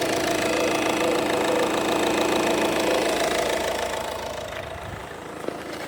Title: Peugeot 2008 2018 1.6 BlueHDi Bruit moteur vers distribution